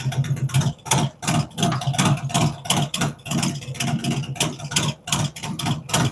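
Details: V-twin on first fire-up after Zipper's 468 cam, adjustable pushrods, aluminum intake, 5.3 injectors, existing headers and ThunderMax; lumpy loping idle, uneven thumps about three a second, steady; normal idle.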